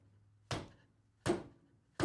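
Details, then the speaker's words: MINI Clubman (R55/R56) front suspension, tire edge struck by hand: three sharp hollow clunks about three-quarters of a second apart as the control arm moves left and right; worn control arm bushings, to be replaced. "Do you hear that noise? That is the control arm moving left and right."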